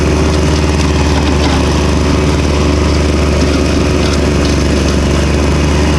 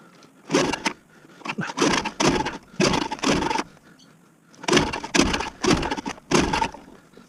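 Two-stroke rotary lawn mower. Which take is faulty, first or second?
second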